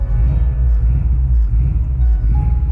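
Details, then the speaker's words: Acura Integra that lost compression in one cylinder about 5000 miles after its motor was done, on a drive to California: deep idle with an uneven, off-beat lope, one pulse missing each cycle, cause unknown. "the sound you can it sounds like it's off a beat and that's because one of the cylinders isn't doesn't have compression so we fired up now it sounds like a Subaru"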